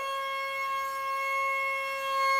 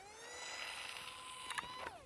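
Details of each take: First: Eachine Mini F-16 RTF electric jet, armed on the ground: a clean high-pitched motor whine at full throttle, dropping smoothly as power comes off. Normal full-throttle run. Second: Eachine Mini F-16 RC plane on takeoff roll in beginner mode: motor whine rising in pitch, then sharp ticking rattles as the propeller strikes the ground; landing gear too short.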